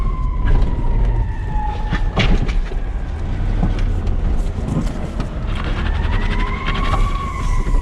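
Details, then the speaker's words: BMW E34 530i with a welded differential, tight low-speed turns in a parking lot: squealing tires with choppy hops and clunks as the inside wheel scrubs, so the car sounds like it's falling apart. "The car just sounds like it's falling apart."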